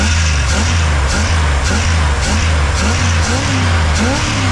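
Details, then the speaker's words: 1977 Dodge motor home V8, long-sitting, blipped repeatedly: roars on throttle but won't idle and sags between blips as a stuck carburetor float floods it with fuel. "nice sounds like a roar but it doesn't want to sit there and idle soon as the gas comes back it starts to it's starting to come up a little bit through here see oops see it flooded itself out so we got a float that is stuck there no big deal"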